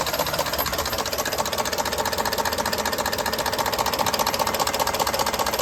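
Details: 2019 Ford F-150 5.0L at idle with new OEM timing components, phasers, actuators and solenoids: sharp regular tapping about two and a half per second persists; cause unknown.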